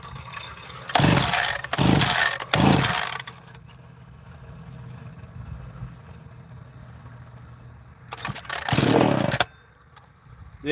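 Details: Chainsaw after repair (fuel cap split): sharp revs blip up and drop back to a steady, even idle, then rev cleanly again; owner thinks it's fixed.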